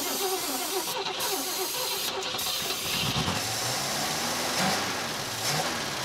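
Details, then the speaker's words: 1956 Cadillac Eldorado Seville V8, first start after 30 years sitting in a barn, running briefly off a gravity-feed fuel tank: catches on the starter and settles into a fairly steady run with some uneven moments; normal running. "all right well we got it running for the first time we weren't able to run it very long off of the gravity feed"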